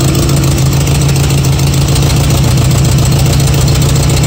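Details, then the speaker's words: Nissan KA24-swapped Datsun 620 on Speeduino, first start: loud idle with ragged, irregular chuff, cylinder one not firing; injectors clogged, clogged injector jumped with power and flushed. "one a-runnin that one's running okay so one is not running it's all right so at this point I decided to go through and basically heart jump with an injector and basically flush it out this thing he kind of ran eight years all the injectors were a little bit clogged"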